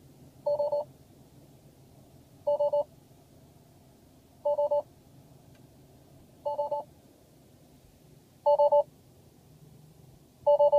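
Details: Tesla Model S on software v6.0: short two-tone chime beeps about every two seconds, steady and unprompted, in a quiet cabin; spurious repeated chime, suspected software bug, unconfirmed.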